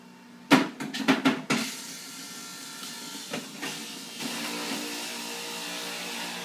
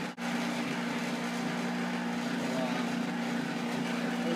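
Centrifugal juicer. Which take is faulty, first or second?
second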